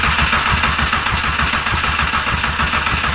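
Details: VW 1.8T swap project, first start attempt after four years: quick, even cranking for about three seconds that never fires; no spark found, possibly immobilizer disabling spark, suspected not confirmed.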